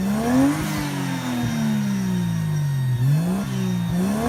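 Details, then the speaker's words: 1JZ-swapped Mazda FC RX-7 drift car, fully warm, on its newly built, home-welded full exhaust; clean blips rising and falling with smooth even pitch, no misfire or rattle, engine pulling freely. "Oh, I think that sounds awesome. I love it."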